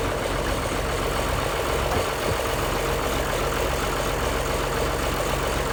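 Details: 1955 White (rebadged Oliver 1955) diesel tractor idling after jump-start from a Land Cruiser ute, which cured slow cranking from poor connections: steady low diesel rumble, even beat, no knocks or misses; clean idle.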